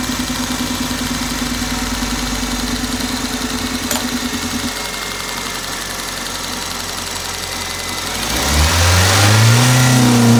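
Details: Toyota engine: uneven, stumbling idle with a regular missing beat, then a rough rev where the engine stutters; engine misfire.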